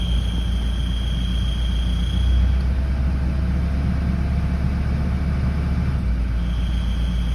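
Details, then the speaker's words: Toyota Land Cruiser Prado 120, 1KD-FTV 3.0L diesel, after a cold start: a thin, steady high whistle comes and goes over the idle. Cause is a slight exhaust gasket leak; fixed by replacing the gasket. "this beautiful noise is caused by the exhaust because there is a slight exhaust leak"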